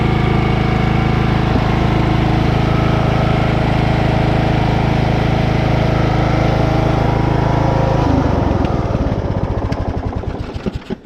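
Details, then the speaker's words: Craftsman LT1000 riding mower after engine swap, replacing one that locked up from low oil: smooth steady beat with no knocks, then winds down to a stop; a slight misfire expected to clear once warm; runs healthy. "all right she's running uh she's running pretty good um slight misfire but you know i think once uh when she's running for a little bit she'll be just fine"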